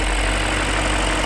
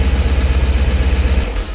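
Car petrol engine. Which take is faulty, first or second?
second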